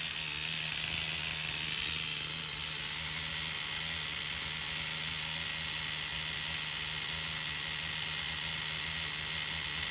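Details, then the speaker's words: Tamiya TGS-R nitro RC car with OS 12CV engine, after the engine was pulled, inspected and refitted: high, steady buzzing run at an even pitch, no misses, no clutch drag; running perfectly. "I like that clean. Sounds good to me. This is all fixed up with that clean to it. No clutch drag, nothing. Running perfect."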